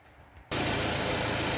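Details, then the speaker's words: 2011 Toyota Camry, after cleaning the mass air flow sensor to cure shaking: catches and settles into a steady, much quieter idle with less shaking and only faint remaining roughness; throttle body cleaning is the next step if shaking continues. "This is inside of the car, and this is idling much quieter, doesn't shake as much."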